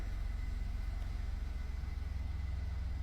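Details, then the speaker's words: 2014 Ford 3.5L EcoBoost, 145,000 miles, first start after timing component replacement: steady, even idle with audible fuel injector ticking, no knocks or misses, no DTCs; running smooth, repair successful. "She seems to be running pretty smooth. Other than I can hear the fuel injectors and everything else going off. So I call that a win."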